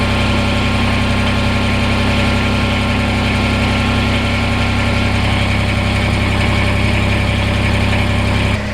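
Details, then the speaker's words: Kubota BX diesel tractor after a remote fuel filter install and bleeding, idling to warm up. A steady, even low rumble with no misses, knocks or hunting. Normal, healthy idle. "don't think all of you have any idea how happy that sound of a smooth riddling tractor is is making me right now"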